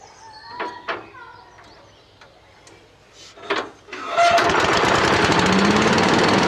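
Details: Billy Goat machine with Honda GX240 8 hp petrol engine, unstarted about 10 years: a couple of rope pulls, then catches on choke and holds a fast steady chatter; clean cold start after long storage.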